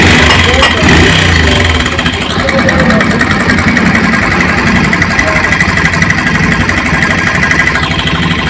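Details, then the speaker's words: Bajaj Pulsar 150 single-cylinder, only 18,000 km, before repair; loud busy metallic chatter over uneven idle that does not let up: noisy worn timing chain. "वह इसके अंदर जो problem है काफी ज्यादा आवाज गवर्नर-जनरल कर रही है और बाइक मात्रा 18,000 किलोमीटर चली हुई है तो इस रीजन में टाइमिंग चैन से इतना ज्यादा आवाज आ रही है"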